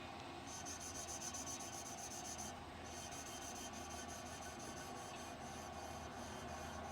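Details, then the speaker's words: Vintage tractor valve being hand-lapped with grinding paste; soft, even rubbing as the valve turns on its seat with no gritty rasp left. It has gone dead quiet, so the valve is well seated. "dead quiet so it must be pretty well seated"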